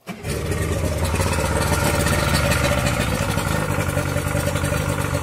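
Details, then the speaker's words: Yamaha outboard with Prime Start auto-choke, started on a warm day with water running: the engine catches and idles up high at a raised, even fast idle, then drops right back off, as a working choke should; normal cold start fast idle. "hear how it idles up kind of high and then all of a sudden it drops right back off. It's warm out. So it doesn't need to stay on very long."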